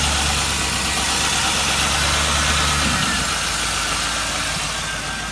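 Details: 1998 Camaro Z28 V8, stock except a Borla muffler, with a known header exhaust leak: a quick regular tick about three a second over a rough, odd-burbling idle. Owner suspects a lifter or rocker arm; cylinder 1 misfire code, plugs and wires new, coils swapped.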